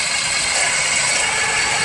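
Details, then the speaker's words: Running engine heard through a screwdriver held on the alternator: constant harsh metallic rattle that gets magnified in the alternator, quieter on the power steering pulley; broken alternator bearing letting the rotor run off-centre and rub the housing. "Yeah. Every time it starts to rattle, you can hear it big time in here. It gets magnified."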